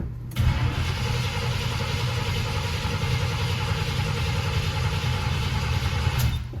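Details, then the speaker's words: Flood-damaged 1979 Chevrolet Camaro Z28 V8 just started after fuel pump replacement and carburetor hard line refit, exhaust dried out, before oil change: deep steady rumble settling into even idle, no misses or knocks; normal idle. "Now we can get a little bit better idea of how well she runs. Looks like the exhaust has dried out."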